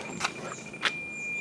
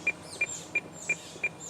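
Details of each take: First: President McKinley CB radio with an adjustable-tip Firestik antenna on an FJ Cruiser: after a couple of clicks, a clean, steady high tone with no beeping, showing the automated SWR meter reads correct after antenna adjustment. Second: President McKinley CB radio with adjustable-tip Firestik antenna pulled down to mimic a mismatch: sharp high beeps about three per second, the automatic SWR warning that SWR is not correct.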